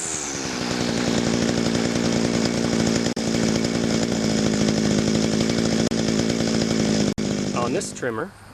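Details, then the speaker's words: Echo grass trimmer two-stroke with a centrifugal clutch, idle set fairly high. A steady, fast buzzing idle with an even note until the engine cuts off. Healthy, normal idle. "because it has a clutch the trimmer line isn't always turning so what I do is I set the idle pretty high so that the motor idles faster"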